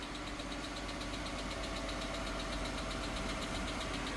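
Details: Gen 2 3.6 Pentastar, after an orange-top aluminum oil cooler, on a cold first-thing-morning start. A sharp light tick about four times a second keeps time with the idle, suspected on bank one. Valvetrain tick from a failed rocker arm.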